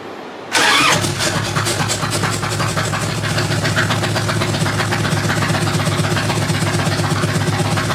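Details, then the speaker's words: 1997 Harley-Davidson Evo Big Twin Road King after new exhaust gaskets: starts and settles into an uneven, loping idle; starting fluid sprayed at the head gasket joint reveals a leak. "So you can hear that the bike's running, but something doesn't sound right to me, so I've got my can of starting fluid again."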